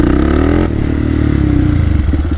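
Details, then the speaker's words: 2007 Polaris Predator 500 quad, revived after years sitting: strong clean pull through the mid-range, then the exhaust note turns choppy and stutters near the top revs, probably not the rev limiter; jetting suspected, main jet changed next. "it's breaking up a little bit in the top end it's pulling really good through the mid-range but then at the top end it's like it wants to uh it doesn't want to stay smooth and strong"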